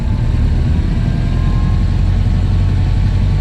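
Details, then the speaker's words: Ford Model A climbing a hill in second gear at 25 mph on first proper test drive after gearbox modification to a new ratio: steady, deep, even engine drone without strain or high revving; engine and gearbox healthy. "And boy, did it do something! We're doing 25 and the engine is not even screaming. That's really, really impressive."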